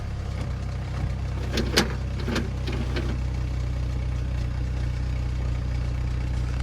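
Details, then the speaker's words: Pontiac just after a starter replacement: it fires right up into a smooth, even low idle rumble with no misses, knocks or stumbles, just a couple of light clicks nearby. Normal idle. "Oh, that's nice. Fires right up now."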